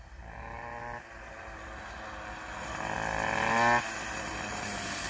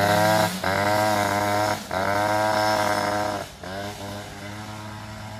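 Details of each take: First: Two-stroke moped after ignition troubles were sorted and a new quiet exhaust fitted, ridden uphill: crisp note climbing cleanly under load, no misfire, stutter or rattle; the engine pulls well and runs healthy. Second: Two-stroke scooter after ignition troubles, engine a bit cold, rear wheel rubbing swingarm and variator: buzzy note rising and sagging unevenly, stumbling every couple of seconds; running rough, cause suspected not confirmed.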